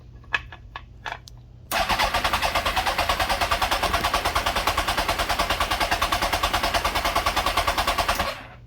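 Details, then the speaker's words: Kawasaki ZX-10R that sat a long time, briefly run on sprayed fuel to warm up, compression test cranking with throttle held open: even, strong cranking beats with about 200 psi in a cylinder thought bad because of gummed-up valves. "So that goes to show you there about 200 psi in that cylinder that we thought was bad, just because gums were valved up."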